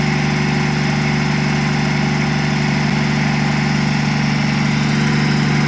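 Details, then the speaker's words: Truck diesel just started, about 40 psi oil pressure, smoke mostly cleared; despite comments that it was missing, idle is an even, steady clatter with no skips or stumbles, smooth regular firing, healthy engine. "Somebody said in the comments it was missing. That sounds like a sewing machine to me, boys."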